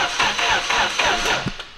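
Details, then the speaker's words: Newly finished RB-engined project car: starter turns the engine in slow, laboured pulses about four a second without catching; slow cranking, owner suspects poor grounds and may add another or check the rear grounds. "cranking a little slow probably should add another ground to it or something but or check the grounds in the rear"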